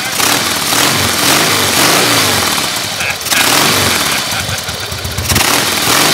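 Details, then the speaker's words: Carbureted, air-cooled 88-inch Harley-Davidson Fatboy Softail that sat five years, first start after a full fuel-system rebuild and carburetor cleaning. Fires and settles into a steady, loping V-twin idle with no knocks or misfires; healthy. "Let's see if she starts. Oh boy, that sounds good. Nothing like it."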